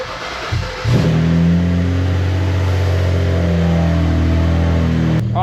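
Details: BMW 335i with N54 engine, first start after high-pressure fuel pump replacement, fuel system primed first: cranks briefly, catches, flares, then settles into a steady, even idle with no misses; sounds good, pump suspected as the original problem.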